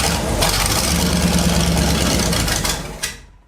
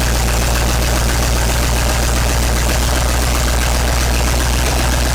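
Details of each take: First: 1970s Sleek Craft jet boat's Oldsmobile big-block V8, sat for years, first start after tapping the carb to free a stuck needle and seat: catches and runs roughly about three seconds, then dies; air and a jellyfish-like glob in the fuel line. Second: 1970s Sleek Craft jet boat's Oldsmobile big-block V8 with fresh oil, warming up while initial timing is set with a timing light: loud, lumpy idle that shifts to a faster, busier beat partway through; running steady and strong.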